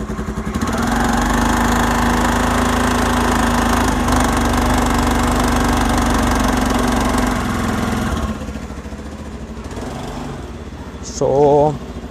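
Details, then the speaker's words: 14-year-old Honda Activa scooter, kick-started without choke: steady, even buzzing putter settling smoothly, slightly quieter near the end; healthy normal idle. "So now let's just start up the Activa. Hear some engine sound and stuff. So not taking out the choke initially because it creates a lot of pressure on the engine."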